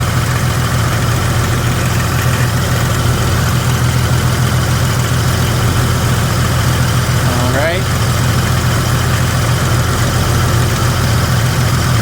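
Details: Jeep Grand Cherokee WJ 4.0: steady low idle with faint, uneven light tick a few per second; owner suspected flex plate, shop thinks torque converter more likely; unconfirmed.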